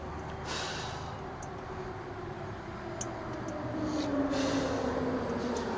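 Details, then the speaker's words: 1994 Freightliner Classic, old Caterpillar 3406B diesel that sat for years: slow, fairly regular cranking at about four turns a second after diesel was sprayed into the intake, never catches. Owner thinks he smoked the starter. No oil pressure, no oil reaching the turbo. "All right, I think I smoked that starter. Yeah, the thing's not going to start."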